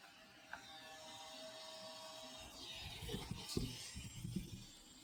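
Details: Lightly used DJI RC 2 controller (Mini 4 Pro kit, under 30 flight hours, never dropped): the internal fan at high RPM rattles and grinds irregularly, worse when tilted; volume boosted +20 dB, with handling clicks.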